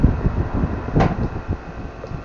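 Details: Orbit fan after its motor was replaced and reassembled: steady low even whir with no rattle or scraping, running normally.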